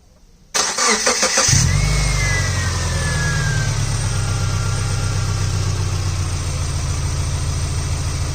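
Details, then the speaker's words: Subaru Impreza Sport GG, started after oil change service: crank and quick catch, then smooth even idle like a sewing machine, faint belt whine fading at startup; normal healthy idle. "Sounds like a sewing machine."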